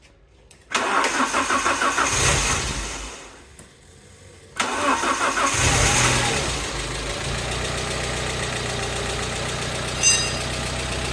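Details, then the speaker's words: Alfa Romeo GTV, first start after crash repair, cambelt and service, long unused: petrol engine cranks, catches and idles with fast light top-end tapping; suspected dry hydraulic lifters, expected to quieten when warm; variator now quieter. "the tapping you can hear is the hydraulic lifters because they're going to be dry of oil after not being used for so long so it should quieten down one the engine's warmed up"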